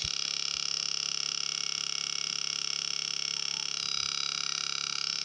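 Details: Two-transistor (BJT) positive-feedback oscillator for a burglar alarm, with a 1 µF capacitor and a speaker in place of the LED. A fast, regular buzzing tone at about four pulses a second stays steady and even; the oscillator is driving the speaker.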